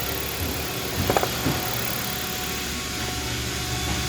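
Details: 2013 Jeep Compass no-start blowing fuse 23 (ASD, coil feed); shorted capacitor unplugged, now running: steady, even idle under noisy background, no misfire or stumble; normal idle after repair.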